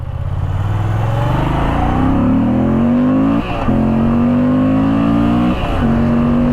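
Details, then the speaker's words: 2020 Moto Guzzi V85TT V-twin, parked in a showroom 5 years, stationary throttle revs: pitch climbs cleanly in steps with brief lifts, firing smooths toward redline after lumpy idle; healthy engine. "So, you'll notice how it kind of smooths out the closer you get to red line."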